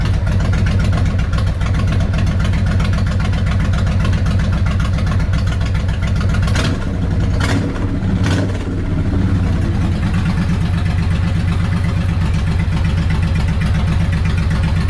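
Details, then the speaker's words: Suzuki Intruder VL 1500, sat for years, after carb cleaning: deep, loping V-twin thump at even steady rate with both cylinders firing; clutch plates possibly worn; healthy idle. "that's definitely running both cylinders yeah she's a happy bike"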